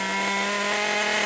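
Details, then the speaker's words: FTX Carnage nitro RC car with 2-speed gearbox, after fixing the clutch that sat too close to the bell and smoked: on the floor, revved high and held, steady smooth buzzing with no misses; healthy engine. "going run out fuel that's all I like to do is put it on the floor re start it up Rev it and hold it still obviously the clutch was too close to the build for some reason or another"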